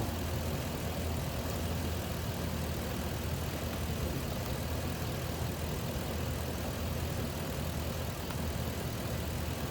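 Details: 2004 Lexus GX470 after replacing a weak tensioner that caused a high-pitch squeal, mostly when cold: smooth, even V8 idle with no squeal or chirp; normal idle.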